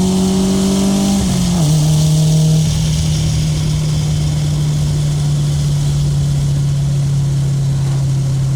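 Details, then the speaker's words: 1995 Honda Civic EJ coupe after fix: the cheap eBay muffler, which rasped from about 4,000 rpm, was packed with fiberglass insulation. Driving now gives a deep, steady, healthy exhaust drone with no rasp. "me driving it, I can hear no rasp and just nice deep tone on the exhaust. So it's pretty good. It sounds pretty good for 10 bucks."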